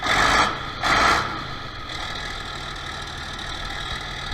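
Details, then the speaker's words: 1966 John Deere 4020 diesel tractor after injection pump replacement and a top-dead-center timing issue, started with ether: a couple of rough surges, then a steady, even diesel run with no knocks or misses; runs again. "well bianza this pump broke and I didn't know where top dead center was that's fine but we got it okay so it runs now"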